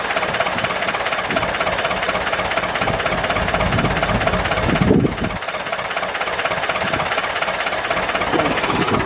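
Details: David Brown 996 diesel tractor, left sitting about 10 years, just started: rapid, even clatter at about three beats a second with a brief dip midway; idling steadily, normal idle. Throttle noted as stuck.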